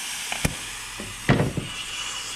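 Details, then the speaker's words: Mazda turbo car on a homemade boost leak tester at about 10–15 psi, after the charge pipe popped off several times: steady airy hiss with handling clunks. The MAP sensor O-ring is leaking badly, a common failure on these cars; the O-ring needs replacing. "let's see how she does while our map sensor o-ring is leaking like crazy and that's uh big time no good on these cars"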